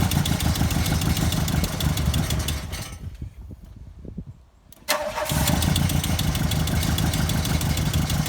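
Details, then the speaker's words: MK2 Golf 16v race car bought as a running project; uneven, lumpy idle with irregular beats, nearly dying before picking up, seeming to run on two or three cylinders and cutting out on throttle: misfire, rough idle. "we bought this as a running project so it's a idles badly it sounds like it's running on two or three and as soon as you touch the throttle it cuts out"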